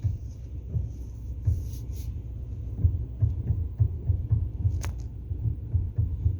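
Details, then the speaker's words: 2013 Kia Sorento after replacing the steering column coupler rubber damper: low even engine rumble while turning the wheel, steering knock gone; normal. "okay guys it's starting [Music] noise is gone"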